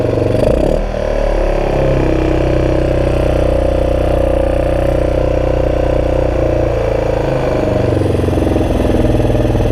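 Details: 2002 Yamaha XT600E single-cylinder idling and revving with a ragged, stumbling, uneven beat; engine misfire, cause not yet pinned down.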